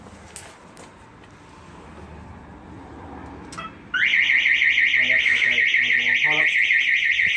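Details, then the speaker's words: Mazda FD RX-7 with a bridgeport rotary during first start attempts: a loud, rising-and-falling electronic alarm siren cuts in and keeps sounding. "well the alarm's causing u"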